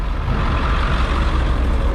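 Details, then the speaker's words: Ford F150 at idle after exhaust leak repair: deep steady idle, slightly uneven, no ticking or puffing at the manifold; exhaust now exits the tailpipe, not the header. Normal idle, no leak. "there's no exhaust leak now it's coming straight out of the exhaust not the header"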